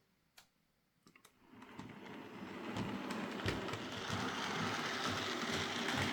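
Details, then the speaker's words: Bachmann Class A1 4-6-2 60163 'Tornado' model locomotive, reported to struggle up gradients with motor running but not moving: moves okay but a light regular thump about four times a second under soft motor hum; suspected split gear, unconfirmed. "So yeah, it's moving okay, but it's making a wee bit of a thumping sound. I suspect one of the gears has split."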